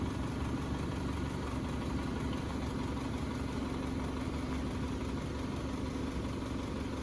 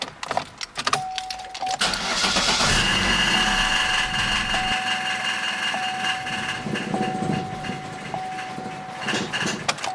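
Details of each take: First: 2011-2016 Chevrolet Cruze 1.8L after replacing the intake manifold with an OEM unit including a new fuel rail, injectors, MAP sensor and tuning valve. It catches and settles into a steady, smooth idle with no knocks, ticks or hunting. Normal idle. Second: 2011–2016 Chevrolet Cruze 1.8L with fuel pump fuse 67 pulled to relieve fuel pressure before intake manifold replacement: starter whirs, the engine catches, idles roughly a few seconds, then stalls from fuel starvation.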